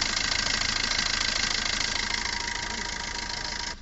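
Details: Maruti Suzuki Ertiga whose no-start was caused by a small faulty relay, no scanner faults: engine ticks over at a steady, even idle with smooth rhythm and faint high whine, then cuts off cleanly; normal idle.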